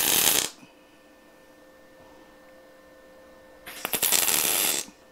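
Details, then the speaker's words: MIG spot welding thin car body sheet butt joint at 60 A, 17.5 V, inductance 4 (up from 16.5 V, inductance 3): two short bursts of crisp even frying crackle; steady arc, clean spot welds. "Alors, là, comme tu peux voir, on était en bord à bord, toujours pareil, avec 60 ampères."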